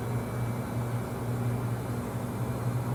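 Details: Samsung 2023 front-load washer WW25B6900AW/A2, 5 months old, buzzing since first month: loud steady low buzz around 70 dB when draining with little or no water, quieter hum when enough water drains; pump straining suspected.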